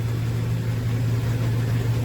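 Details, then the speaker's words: 2000 GMC Sierra 2500HD, two-wheel drive, in drive on stands with the rear wheels spinning after new copper-nickel rear brake lines and fresh differential fluid: a smooth steady hum with no grinding, clunks or whine; normal drivetrain operation. "So far, it runs pretty good. Runs pretty smooth, so you cannot hear any noise."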